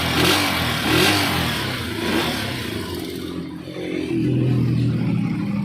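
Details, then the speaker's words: Honda TMX 125 single after carburetor work, which cured misfiring and stalling that new spark plug, ignition coil and CDI had not fixed: revs rise and fall cleanly and return to a steady idle without stalling or popping. Normal revving. "siya yan guys tanggal po yung ah pagkapal niya yan kanina hindi mo mabitawan ung gas kapag gagas mo naman namamalas siya tapos pag binitawan mo ung silinyador namamatay y diretso na siya"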